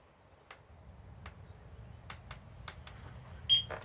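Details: Yale wireless alarm with a fishing-line trip wire attached to the magnet side of a door contact, to be strung across a garden gate: after faint handling clicks, pulling the line trips the contact and the panel gives two short high beeps, showing the sensor responds.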